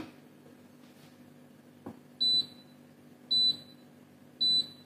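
Quiet hum broken by three sharp high beeps about a second apart; the hob is warning it sees no pan on the zone.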